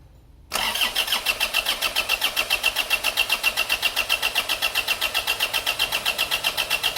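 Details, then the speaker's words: Isuzu Panther GT 2016 diesel, top-end rebuild with new piston rings after smoke and oil from the dipstick, cranking during compression test: strong, even cranking about four beats a second, healthy; reads 28 bar. "nah ini teman ini sudah kita pasang di sini dan akan siap kita hidupkan nih start"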